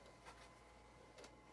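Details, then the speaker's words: Red-ring Xbox 360 DVD drive after new belt fitted: brief soft whirrs with light clicks as the tray slides out, no grinding or stalling; tray mechanism working normally. "Get a disc in. Drive's working good."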